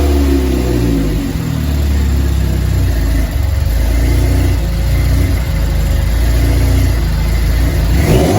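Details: DF Goblin project car, first start with no exhaust fitted: a deep, loud, open rumble that holds steady with light throttle blips. Normal running, loud because there is no exhaust.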